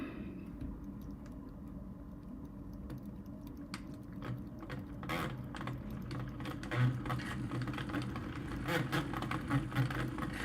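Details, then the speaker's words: ARCTOS 6-axis robot arm with closed-loop steppers: a quiet stepper hum, broken by uneven clicks about once a second as the axis moves; the timing belt is visibly skipping teeth on its inner pulley and needs disassembly. "it sounds like the belt slipping that sounds to me like that there's a belt slip so yeah I can see it's slipping inside"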